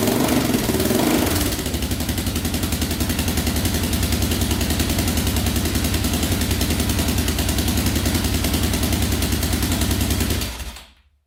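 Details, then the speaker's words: 2004 Yamaha Raptor 660 quad with choke pulled manually, before carb cleaning: fires with a rev, settles to a steady even putter of about 3.5 beats a second, then shuts off; healthy idle, no air leaks suspected. "but it sounds pretty good. Idles perfectly as well, so I don't think there's any air leaks in the system at all."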